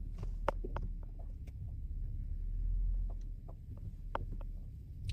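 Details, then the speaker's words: Audi S front suspension clunk on uneven road without braking, from right (passenger) front while rolling slowly forward: irregular sharp knocks over road rumble; arms/links already replaced, suspected rubber-bushed link arm. "这个不平路面的时候没踩刹车，那个声音也有。那这个声音呢，肯定是在我们底盘上面了啊。"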